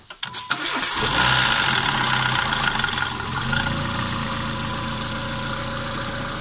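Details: Renault Megane 2 1.6 with a worn variable cam timing phaser needing replacement: a brief metallic rattle as the engine starts, then it settles into a steady idle.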